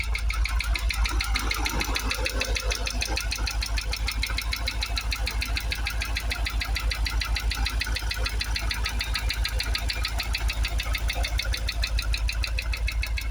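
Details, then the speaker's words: Jaguar XKR supercharged V8 just restarted after twin fuel pump replacement, after years stationary, running on seven or six cylinders; even idle with sharp regular knock about three times a second; owner attributes it to the supercharger, not confirmed. "um yeah we've definitely got a bit of knocking from the supercharger but you know to be expected"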